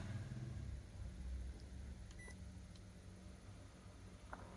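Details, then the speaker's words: Toshiba 100V induction rice cooker converted to 220V (conversion considered not quite correct), quick-cook pressed: steady low hum with a short beep as the vacuum pump starts and cooking begins; operating normally. "Bấm nấu nhanh này. Bơm hút chân không đã chạy này."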